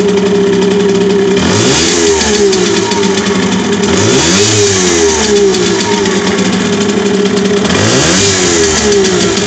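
Each throttle blip sweeps the pitch up and back down while an odd extra drone rides along; something sounds off, cause unclear.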